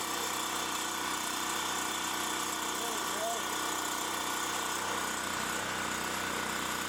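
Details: Champion 3500 W generator after carburettor cleaning, having sat all summer with old gas and run only on full choke; steady even drone, no misses, surging or knocks; normal running.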